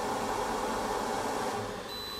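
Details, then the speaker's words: Makita BAC01 inverter powered by PDC1500 backpack battery, loaded with an electric jug near 2,000 W: steady hiss, then a continuous high warning tone as overload cutout trips after about 5 seconds above 1400 W. "there we go so it's stopped and as you can hear loud beeping noise to make that beep stop you just hit anything bang stopped so the safety cutout does work"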